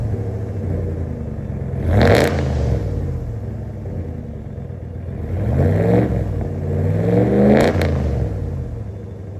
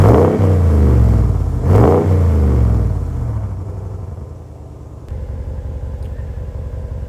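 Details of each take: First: 2026 Ram with C&L muffler delete installed: loud raspy exhaust turning harsh and crackly on each rev, then settling; open pipe sounds untuned and gross above idle. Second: 2026 Ram with Borla muffler replacing the muffler delete: two deep revs settling into even mellow idle rumble, no rasp or cackle; nicely toned, about 40% louder than the Pro XS.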